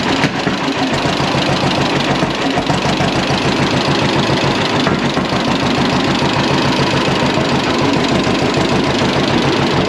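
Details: John Deere Model A tractor, hand-started by flywheel with choke, after valve/tappet clearance adjustment: slow, even two-cylinder popping at a steady beat with no backfires or skips; healthy idle.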